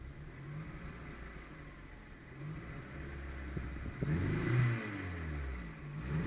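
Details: Skoda Fabia 1.4 MPI revving with an uneven, stumbling beat and missing pulses; engine misfire caused by a bad third-cylinder injector.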